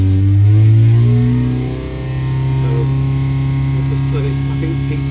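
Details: Rebuilt 998 engine on dyno at full throttle, about 4.5 and 7 ft-lb, downdraft carb: steady smooth pull with no tapping; previous rattle gone after rebuild.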